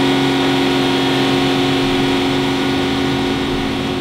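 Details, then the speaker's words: Aston Martin DB9 engine, warm, with rpm raised under load, recorded from underneath: a fast, light cyclic tick from piston slap or small-end knock. It is silent on cold start at fast idle. "now we can hear the cyclic tic as with load the engine rpm have to get into considerable heat above the piston ground and underneath this is quite noticeable quite audible"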